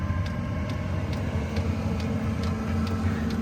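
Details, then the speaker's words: Chinese diesel heater installed in a camper, running on a higher setting: steady low hum with a crisp tick about every half second from the fuel pump; normal, and ticking grows at higher settings. "So it's on right now. So you can kind of hear it ticking. The fan is very low. You can barely hear it blowing, but it's blowing nice and warm."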